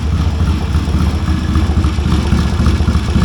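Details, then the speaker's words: 1970 Triumph T100C twin, revived bike, just started with straight-through pipe: loud, steady, even thumping idle with raw open-pipe bark, no knocks or misses; healthy, though an oil drip shows underneath. "Hey, it runs. Sounds like a Triumph. Got a drip of oil underneath it already."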